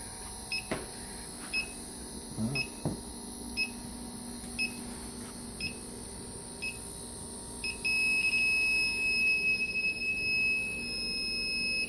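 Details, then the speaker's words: HVAC unit: electronic leak detector beeps about twice a second, then jumps to a solid continuous tone as the probe finds the refrigerant leak; oil at the spot confirms. "Hey guys, we're hunting the rare refrigerant leak. I have my gun here."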